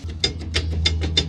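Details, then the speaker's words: Enclosed trailer, passenger-side front hub spun by hand: a rough scraping grind with sharp clicks about three times a second; the outer wheel bearing had failed and overheated, spindle still good. "bearing is shot on the passenger side front."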